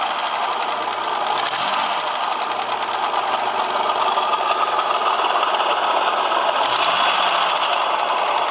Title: Стук двигателя X30XE #3